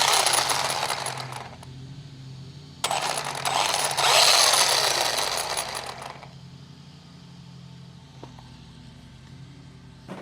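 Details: Traxxas Rustler 4x4 RC car with the transmission cover off after clutch assembly repair: motor whirs in bursts with a scraping, rattly chatter; owner suspects the grub screw rubbing the spur gear, unconfirmed.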